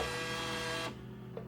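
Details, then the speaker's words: Newly fitted dollar bill acceptor on a refurbished claw machine: a short steady motor whir pulls a $1 test note in for under a second, stops cleanly, then a light click; it gives 2 credits at the 50-cent setting, working normally. "so we're looking for, there we go, 2 credits. Because it's set up on 50 cents right now"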